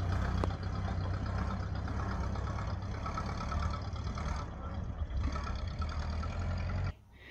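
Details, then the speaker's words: 1931 Ford Model A, flathead four, 200.5 cu in, about 4.5:1 compression, just revived after 65+ years stored; low, even idle rumble with steady pulse, no misses or knocks; running smooth, normal idle. "I don't know, these things idle pretty low like that. Yeah, it sounds good."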